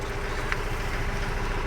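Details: Mahindra Bolero diesel idling just after start-up, with the warning light on. A steady low rumble carries a sharp tick and slight unevenness. The scanner reads P0203, injector circuit cylinder 3, so this is a misfire at idle from the injector circuit fault.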